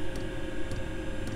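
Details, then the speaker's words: Chinese diesel heater in a camper van, running at temperature with 22 °C inside and −1 °C outside: fuel dosing pump ticks sharply, evenly about twice a second over heater hum, normal but annoying at night. "there's one downside and they tick a pump tick you can probably hear if i hold this down here you'll hear it ticking away"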